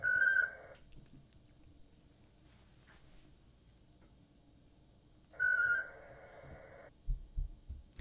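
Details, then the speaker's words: Winlink ham radio email transfer over RDOP after an email was sent, now sending a news report request: two short bursts of warbling mid-pitched modem tones with quiet gaps, normal data packets. "Okay, so my email to Oscar Hotel 8 Sierra Tango Nevada has been sent. Now it's sending my request for a news report."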